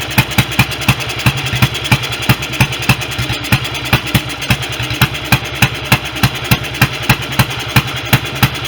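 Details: BSA B31 single on magneto ignition, first run after restoration with thin 30-grade oil: thumps at roughly three beats a second but the rhythm wanders; uneven idle, carburation and ignition still to sort, smaller jet planned.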